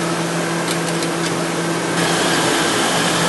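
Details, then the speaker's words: 2000 Mercury Grand Marquis 4.6L at idle, check engine light on: rough idle stumbling about three to four times a second. Misfire followed the ignition coil when moved from cylinder 2 to cylinder 3, so the coil is bad and will be replaced. "As you can see now, the problem now traveled to the number 3 cylinder. I rotated the coil, and now the problem is the number 3 cylinder. So now we know that coil is no good."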